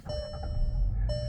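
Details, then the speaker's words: VW Jetta restarted after a new battery install and a steering-wheel code-clear procedure. Two clean chimes ring over a low engine rumble as the dash self-checks; all warning lights clear. "Everything lights up, goes through all the checks. Boom. All of your lights are clear."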